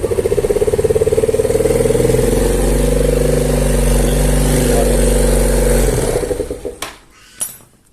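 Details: Yamaha Mio Smile scooter that was hard to start and had no power on throttle despite a carb service and new spark plug: after valve clearance adjustment, the single thumps along at a steady, even beat and then shuts off, running normally. The valve cover gasket is torn and the oil black.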